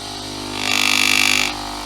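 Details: Philips LatteGo coffee machine being repaired for error 11 (three blinking LEDs, not heating, NTC sensor): on switch-on a steady low pump buzz, then a loud hiss for about a second as water fills, then back to the buzz; normal startup and water fill.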